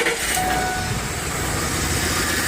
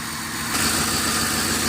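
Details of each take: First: Ford Explorer 4.6 V8 after replacing the cylinder 8 ignition coil, which moisture had shorted and ruined (P0308): even, steady idle with no stumbles or skips, running smoothly on all cylinders. Normal idle after the fix. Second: Ford Explorer 4.6 V8 with P0308 code: lumpy idle with a recurring stumble, one cylinder dropping out; misfire on cylinder number eight unchanged after refitting the coil, failing coil suspected, swapping in a known-good backup coil.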